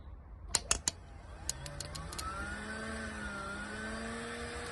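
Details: VW Golf Mk3.5 cabrio during MOT prep, relay bridged by hand to test: a few sharp relay clicks, then a steady electric whine rises and holds; secondary air pump spins up and runs properly.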